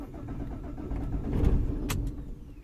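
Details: 2007 Vauxhall/Opel Vectra 1.9 diesel Z19DT after engine swap, P0088 code: starter cranks steadily, engine catches briefly then dies; crank no start caused by swapped rail pressure regulator and rail pressure sensor plugs.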